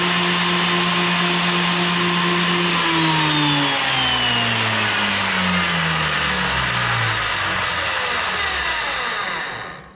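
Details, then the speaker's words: Wood planer, first power-on after replacing the broken drive sprocket that had been knocking things off, with the cover still off: a steady motor hum and bright whine, then a smooth fall in pitch as it spins down, with no knocking or grinding. Normal running. "Just going to turn it on and see if everything's turning. And if it flies apart, y'all look out."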